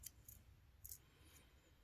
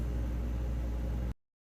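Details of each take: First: Refrigerator not cooling, clicking every minute, and the compressor not humming. The removed two-pin compressor start relay is shaken: faint sharp clicks, about five in two seconds, as broken pieces rattle inside, showing the relay has failed. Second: Refrigerator after replacing failed compressor starter relay that caused clicking and no cooling: steady compressor hum with even fan rush, no clicking; running normally.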